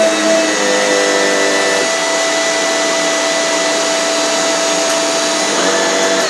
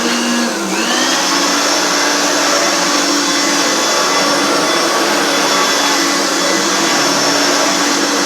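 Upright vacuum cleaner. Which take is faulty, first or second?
second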